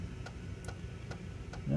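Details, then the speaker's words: Macintosh PowerBook 165 floppy drive formatting a disk after initially sounding rough: soft regular ticks about every 0.4 seconds over a faint low hum as the head steps track by track; formats successfully, working fine. "all right looks like it formatted and there we go one formatted"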